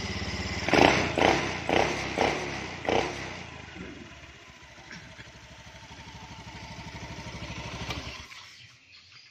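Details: Honda Beat eSP scooter after repairing and rejoining faulty wiring, owner noting the CKP circuit: a few sharp cranking bursts, then the engine catches and settles into a soft, even idle pulse. Starts and runs normally.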